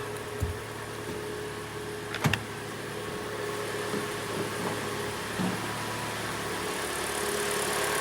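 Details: 2014 Kia Sportage G4NA, 71,000 km, listened from outside after complaints of slapping and hydraulic lifter knocking: quiet even idle with steady low hum and no tapping or ticking; normal idle.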